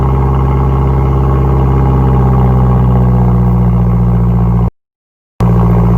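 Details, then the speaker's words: Cold start with fast idle: a loud, raspy puffing chuff rides on the exhaust note, from big exhaust leaks that the owner expects to be obvious. Exhaust leak. "No, this one should be pretty shitty, because we got some big exhaust leaks."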